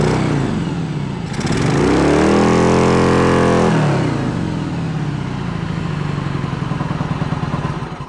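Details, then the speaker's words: 1986 Yamaha Virago 1100 V-twin, sat 6–7 years: blips up and drops back with lopsided choppy beat, front cylinder dead with fuel present; low compression found on front cylinder, owner hopes it is a tight valve. "So we got a compression issue on that front cylinder, and hopefully it is a tight valve that doesn't want to play well."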